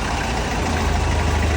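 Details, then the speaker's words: 1970s Colombian Ford B250 with 2.7 L Nissan turbo diesel at idle: steady, even low bubbly rumble, no knocks or misses; quiet, healthy normal idle. "it doesn't sound too crazy it kind of sounds like bubbles that's what I always joke about but overall it's got a good quiet sound"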